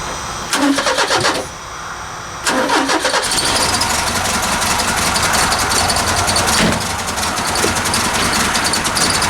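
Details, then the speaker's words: Carburetted Ford Capri on a cold Ohio December day, after leaning the idle mixture, backing off the idle setting and easing the over-choking choke: cranks, catches, then settles into an uneven, loping idle. Rough idle, carburettor still being adjusted. "foreign heartbreak I bought my idle up a little bit this thing's salty at idle I'm saddling a little better I bumped up the idle speed and tightened up the idle mixture a little bit"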